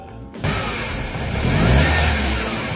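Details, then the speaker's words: Mercedes-Benz C200 with M271 engine, cold start with delayed start: slow crank, then the engine catches and revs with a loose metallic clatter over it; diagnosed as a worn, overstretched timing chain. "奔驰 C200，冷车启动有异响。"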